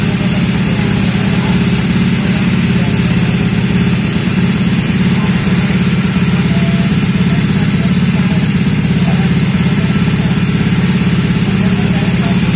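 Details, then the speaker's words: Honda Vario 125 bored up to 140cc with FIM piston, stock coil and electrics, first start after rebuild: loud single-cylinder idle with uneven lumpy firing pulses; rough running. "Nah teman-teman setelah kita mengetahui suaranya mendengarkan dan mengetahui hidupnya tadi hidupnya agak kasar ya"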